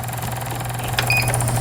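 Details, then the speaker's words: Riccar Stylist 9000 imported digital sewing machine, repaired after dust-clogged lower shaft caused errors, no parts replaced; bobbin winder running with steady low motor whir and even fast ticking, no grinding: normal bobbin winder operation. "북실 감기 장치 정상적으로 지금 작동되고 있는 기계고,"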